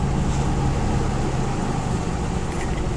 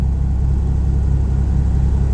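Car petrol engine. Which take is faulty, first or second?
second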